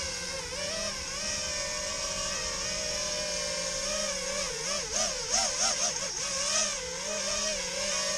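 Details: Tweaker 5" FPV quad (KISS V1 FC, KISS 24A Race ESCs, Rotor Riot Hypertrain 2306 2450KV motors, 5x4.2x3 props, 4S 1300mAh, stock PIDs, soft-mounted): steady high motor whine with warbling pitch swings in the first seconds; cause unclear.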